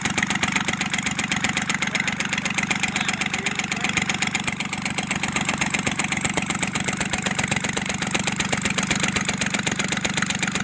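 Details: Kubota L1-255 small diesel (tractor/marine) with white smoke, cylinder head to be replaced: idles with a hard, regular knock, about two to three a second, over its clatter. Engine knock.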